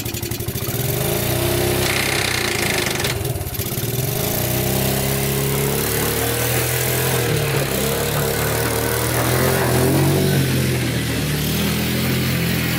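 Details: Abandoned Yamaha Breeze ATV, newly revived, cold day test drive: small single keeps steady, even buzz under light throttle, no knocks or misses; runs and drives, forward, neutral and reverse work.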